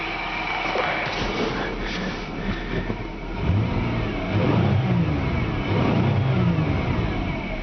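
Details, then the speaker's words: 2000 Buick Regal, 3800 series, automatic, low miles, revved from inside: quiet idle then smooth rises and falls in revs with no ticks, knocks or rattles; healthy engine. "I would rev it up out here if I actually knew where to do that at for you, but I will rev it up in there so you can see there's no noises, no, just normal sound in the engine."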